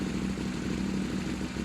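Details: KTM 790 Adventure S hard to start (5–8 tries), then lumpy, rough idle; fuel pressure drops at key-off; replacing the fuel pump didn't help; cause was a leaking injector nozzle, and cleaning it solved starting and idle.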